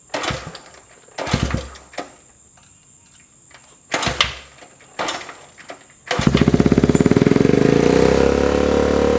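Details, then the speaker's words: 1979 Honda Trail 90 single-cylinder, just started after carburetor removal and fixing the carb needle: a few kicks and thumps, then it catches and settles into a steady, even idle with no misses; normal idle. "Idling, so that's good. I'm gonna let the bike idle for a little bit."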